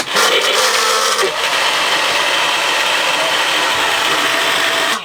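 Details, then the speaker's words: Cabin blower fan on a Corbin 39 sailboat: a constant high, blender-like whirring roar. The owner thinks a broken bearing inside is causing the noise; it still works, and a replacement has been bought. "C'est juste qu'il y a un bearing dedans, je pense, qui est brisé. C'est ça qui fait du bruit. Il marche pareil, mais il fait tout ce bruit-là."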